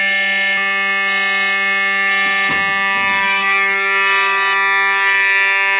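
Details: Simplex 4005 fire alarm panel test with Simplex mechanical horns, two sounding together, heard with the door open: a loud, continuous, rich buzzing tone with no dropouts. The horns work normally.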